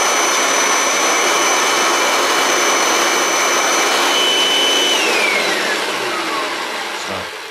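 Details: Kirby G6 vacuum, unserviced for years, after cleaning and reassembly: a steady, even high-pitched motor whir with a clean fan rush that winds down smoothly. Normal running.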